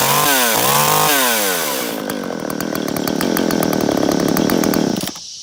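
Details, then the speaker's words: Jonsereds 520SP two-stroke chainsaw, recently bought, very good condition with original chain cover; started on choke, chain brake on, then choke off. High revving buzz swinging up and down, then even popping idle about four beats a second; runs healthy. "This is a Jonthread 520 SP I just picked up this week. It's in very good condition and it runs really well."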